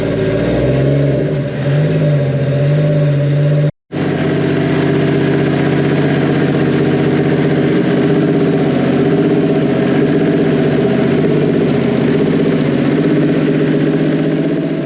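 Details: Freshly built 1.5JZ (2JZ-GE non-VVTi 3.0 block, bored and decked, Manley rods, 9:1 pistons, 1JZ-GTE VVTi head, BC 272 cams, 1300cc injectors, flex fuel), started up after break-in and oil change: cranks, catches, smooth steady idle, no knocks or ticks.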